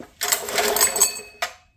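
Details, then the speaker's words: GX200/GX160 engine with an epoxied, laser-cut wooden connecting rod, no spark plug and the engine not bolted in, testing clearances. One full pull gives about a second of light, even whirring with no knocks or binding. It turns over freely. "Sold. No spark plug. Wooden connecting rod. First verification that it spins over with a full pull and doesn't do anything stupid."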